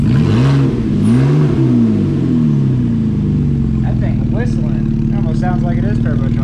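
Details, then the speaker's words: 2013 Ford Flex 3.5L non-turbo V6 with cold air intake, mid-pipe muffler cut out for a Magnaflow, catalytic converters and rear mufflers stock: deep throaty exhaust rising and falling with revs, faint intake whistle on top. "We're just going to be putting that pipe right here, the Magna muffler. Anyway, let's go ahead and start it up, see how it sounds. That sounds good with the cold air intake."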